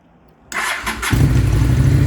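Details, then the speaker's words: Honda Shadow VLX 600 V-twin motorcycle with a battery-related no-start, started from a jump box with fuel on and choke pulled: half a second of cranking, then it catches at once into a strong, even idle; normal engine start. "start right away see now it just start right away"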